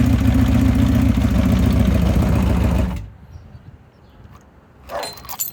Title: 1980 CB750F SuperSport Valve/Piston Slap or Loose CCT